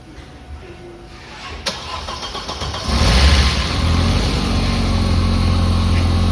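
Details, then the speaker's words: Audi RS2 after rebuild, newly refilled cooling system, run to heat and bleed coolant (a couple of small leaks noted): brief crank, clean catch, steady even idle with no knocks or misses; normal start and idle. "sounding pretty good now. Giving it a bit of a run to get the coolant hot, get it all bled up."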